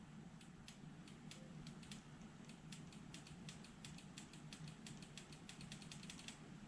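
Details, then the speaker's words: Suzuki LT80 ATV of unknown year, battery hooked up, key on and brake switch held: quick, uneven light clicks from the solenoid with no cranking; starter solenoid clicks but the engine does not turn over. "so uh something's wrong it's clicking the solenoid right back here i can hear it"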